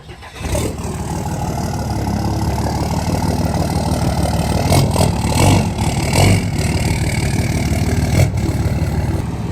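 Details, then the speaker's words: 3rd-gen Dodge Cummins diesel, first drive in about three years: starter whirs, catches within a second and settles into steady, even low clatter at idle; sounds good. "Sounds about good. Yeah, it sounds good."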